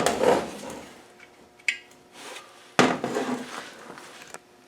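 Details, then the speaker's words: Land Rover R380 gearbox (suffix J), small layshaft bearing fitted with cover on, moved by hand: irregular bursts of metallic clatter as the bearing chatters loosely in its bore; loose bearing rattle, sleeve planned to support it. "Now, I'm going to put the cover on. And you can hear it moving. If I put my hand in there, you can hear that bearing chattering around. it."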